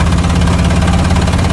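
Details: 1999 Ford F250 Triton V10 with aluminum heads: heavy, rhythmic chuffing puff each cycle; spark plug blown out of its hole.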